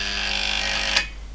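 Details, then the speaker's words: Hazeltine 2000 power supply being powered up slowly during repair: a steady high relay buzz for about a second, then a sharp click as the relay pulls in and the buzz drops. "Okay, so that buzzing you can hear is the relay. It should kick in anytime soon."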